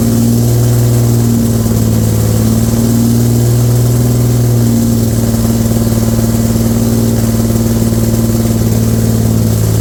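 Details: Infiniti G35 rebuilt V6 at first start, modified polished intake and opened lower plenum, radiator not connected, no engine light: wavering, uneven idle drone, stumbling and rough; massive vacuum leak suspected, not found.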